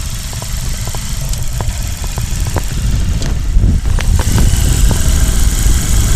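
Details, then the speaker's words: Shine motorcycle after primary gear replaced, mic near engine bottom: steady low single-cylinder idle, light valve ticking, no rattle or gear whine from primary side; earlier crack-like noise fixed, healthy. "जो भी इसका sound था वो भी बिल्कुल sound बिल्कुल बढ़िया first class कोई भी दिक्कत"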